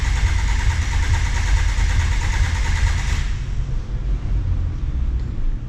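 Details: 2007 Kia Sportage VGT diesel with early DPF, 213,280 km. Whirring starter cranks, the engine catches, then hunts at a loud, unevenly pulsing idle. Scope testing showed an abnormal intake waveform with normal rings.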